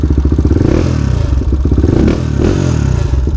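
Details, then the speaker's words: Restored 1999 Honda 400EX quad, ridden in gear for possibly the first time in 15–20 years: four-stroke thump with a light metallic rattle, which the owner suspects is a loose skid plate needing tightening. Chassis rattle while riding. "hear the skid plate rattling a little bit probably have to tighten that up"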